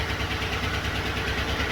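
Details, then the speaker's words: 2013 GMC Sierra Crew Cab 5.3L V8, 198,000 miles, stuck lifter on cylinder 6 with one valve not opening; rough, lumpy idle with uneven exhaust beat from the dead cylinder; lifters, camshaft and pushrods to be replaced. "But it's got a stuck lifter, cylinder 6, so I'll let you see what it sounds like. Not good."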